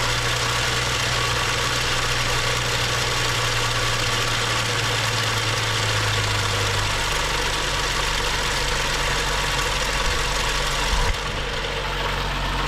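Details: BMW 535xi M Sport N55, earlier knocking with code 165014, now with new high-pressure fuel pump and cam follower, air filter off. Settles into a steady even idle with no tapping or knock. Healthy after the pump repair.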